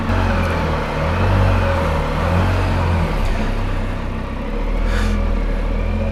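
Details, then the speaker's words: Can-Am Spyder starting at about 22 degrees in winter, owner worried it wouldn't start: steady low engine hum with mild rises and falls, no knocks or rattles; starts and idles normally despite the cold. "That's why I was worried about the Spyder and whether or not it would start. It did. I'm going to get on, start it up, and then we'll talk."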